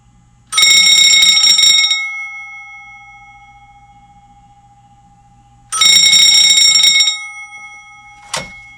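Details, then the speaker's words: Telbel loud ringer with Cortelco 2554 wall phone, just remounted in the garage, on a test call: two loud, clear bell bursts about 1.5 s long, roughly five seconds apart; ringer works normally. "There we go. It's working."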